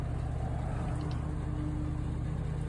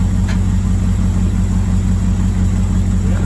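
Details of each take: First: Old Ford bus V8 limping with no power on highway, labouring under load with lumpy uneven beat, one cylinder dead; misfire from blown head gasket and broken exhaust valve. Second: Old Ford bus V8 just after teardown and rebuild for no power, test fired: deep steady idle with even low burble, no misfire or knocking; normal idle after repair.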